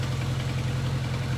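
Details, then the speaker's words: 1983 Kawasaki KZ750 Spectre four-cylinder, 22,000 miles, after carb rebuild and tuning: steady, even low drone at about 1500 rpm with slightly chunky chatter from timing and primary chains, normal for these motors; normal idle. "1500 RPM in that ballpark. That's where you want it. And these motors have a little chunky sound to them."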